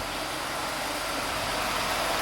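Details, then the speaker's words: SEAT Ibiza after engine work, fresh antifreeze refill, earlier fault traced to oil sensor: steady, even idle with no tapping or clatter from the top end; engine sounds healthy, no oil pressure problem. "And it sounds good. Now, the reason why I knew it was the oil sensor is because, as you can hear from the engine now, the engine sounds good."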